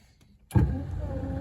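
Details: 1966 Dodge Dart GT, Slant Six 225, windshield wipers tested after dash wiring repair: a soft click, then a low, steady electric hum that keeps running smoothly; normal wiper motor operation.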